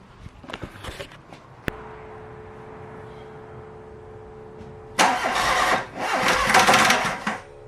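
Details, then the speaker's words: Golf Mk1 with a freshly prepared 2.0L 8v swap on Dellorto DHLA carburetors, first start: starter churns, then the engine catches roughly with loud ragged bursts and pops. It backfires on start, and the ignition is suspected but unconfirmed. "so there is some life in it but it's clear that something is wrong the backfires are telling me that the ignition might have a problem"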